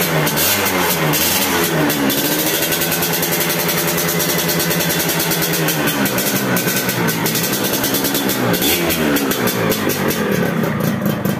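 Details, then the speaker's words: Yamaha F1ZR two-stroke after fitting a replacement cylinder head, the old one corroded and leaking: crisp buzz with a couple of throttle blips, then holds a steady idle without dying; running properly. "dan alhamdulillah bisa langsam bisa stasioner engak gorang seperti tadi ya dan penyebabnya adalah Fer head yang kopos dan bosor"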